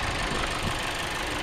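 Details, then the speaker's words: 2021 Volkswagen Jetta 1.4-litre petrol engine with no engine cover, idling: light, quick clicking and tapping from the injectors over a steady idle; normal direct-injection injector tick, not a fault. "make a lot of injector noise yeah you can hear him clicking and tapping away vowels and everything"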